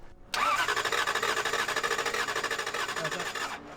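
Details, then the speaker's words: Lexus LS400 that drove fine days earlier: starter cranks at a steady, normal pace for about three seconds but the engine never fires; crank no start, fuel pump being checked, cause unconfirmed. "it cranks fine you know it drove fine couple days before I like left it here but now it cranks it doesn't start"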